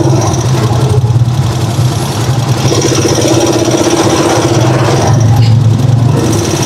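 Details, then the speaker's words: Steady idle with a faint, quick light tick over the low rumble; owner notes slight ticking (lagatik) and plans a tune-up or oil change first; cause unconfirmed. "Papatune up natin to sa sunod na susunod na mga araw guys, dahil medyo may lagatik na konti. Yan o, rinig na rinig."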